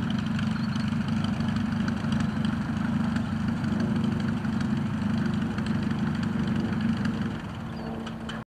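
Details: Rebuilt Piet aircraft engine on test flight day: smooth, even low drone with steady firing beat, no misses or knocks; healthy, sweet-running normal idle.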